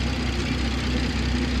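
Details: BMW 114i converted to M140i, first start after connecting the fuel lines to the fuel pump, coolant circulating: deep, even hum with no misses, knocks or ticks; idle smooth and settling.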